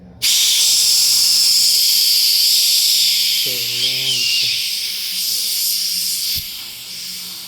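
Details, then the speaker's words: Opening the service cap on a new air-conditioner evaporator coil: a strong steady hiss bursts out and slowly fades as the factory holding charge releases, confirming the coil has no leak and is safe to install. "Con esto nos asciuramos de que el evaporador no tenga fuga."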